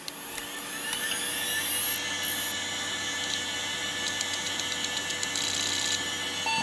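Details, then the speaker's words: Quantum Bigfoot CY 2 GB hard drive, bought untested for a Pentium-MMX PC, at power-on: a rising spin-up whine, then a steady hum with quick clicking seeks; it passes its seek test. "got a seat test from the bigfoot it's actually probably going to try to boot that's going to be interesting"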